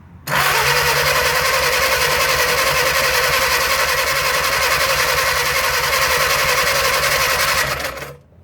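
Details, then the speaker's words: 1937 Willys flathead on an old generator, sat covered in the woods 15–25+ years, cranked with ether: steady fast starter chatter for eight seconds with no firing; no spark, owner suspects battery connection or dirty points. "Well, no start. Well, let me make sure that I'm getting fire. I am not getting fire."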